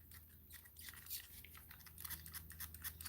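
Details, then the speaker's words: ARRMA Granite Grom RC truck: short, irregular dry squeaks each time the suspension is worked by hand. The owner first thought it was a bearing and now suspects dusty ball joints. "I don't like that, because I thought that was a bearing. Hotspot thought that was a bearing too. We were out there racing yesterday, and he could hear the squeaking on the camera, man. I thought it was a bearing, but I think it's just my bloody ball joints."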